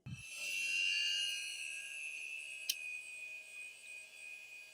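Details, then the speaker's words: Seagate 9 GB SCSI hard drive for a 1996 IBM RS/6000 43P model 140, run outside the case: soft power-on thump then steady high whine as it spins up cleanly, sounds healthy, no grinding. "It sounds healthy. No grinding or anything."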